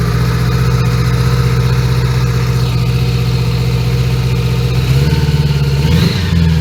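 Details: 1980 Honda Goldwing GL1100, carbs just overhauled and likely out of sync, started cold around 3°C: low droning idle that wavers and dips, speed hunting; rough uneven cold idle before warm-up.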